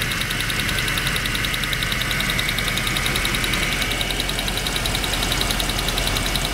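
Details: Land Rover Discovery II V8 running steadily: loud, rapid, even ticking like a stopwatch or cards in bike spokes, started suddenly, seeming to come from the upper manifold; owner suspects a switch or valve, not lifters; cause unknown.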